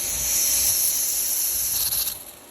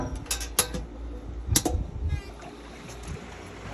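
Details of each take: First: Bleed valve on top of the pool filter opened after basket cleaning: a steady high-pitched hiss of trapped air escaping, fading as water arrives, meaning the air is out. Pressure should read about 50. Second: Pentair pool pump restarted after cleaning the filter baskets: a couple of sharp clicks, then a low hum builds over a second and settles into an even, steady tone as the pump starts normally.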